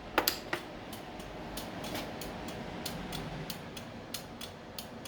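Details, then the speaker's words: 1979 Lotus Esprit after rewiring with a new harness, hazards switched on: crisp paired ticks about every two-thirds of a second in a quiet cabin; flasher relay cycling normally and the warning light works. "Hazards are working. Warning light is working."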